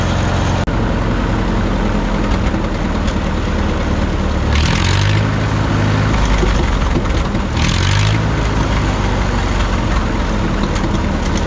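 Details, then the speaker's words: 1951 Farmall M tractor after switching from Champion D21 to Autolite 316 spark plugs: steady low idle, huge improvement, with a faint occasional pop; number three plug was sooty and black, owner considers the D21s bad. "we are getting still an occasional just little bit of a a pop here and there but I think I'm getting overly critical now these old tractors you know do that uh a little bit so those Champion D20 1's were not good"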